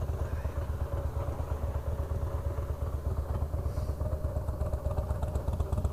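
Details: 2004 Harley-Davidson Fat Boy, about 5,000-6,000 miles, oil slightly low; lumpy V-twin idle with a loose, uneven clatter deep in the bottom end: loose compensator bolt/nut, fixed by torquing to 150 ft-lb with blue Loctite.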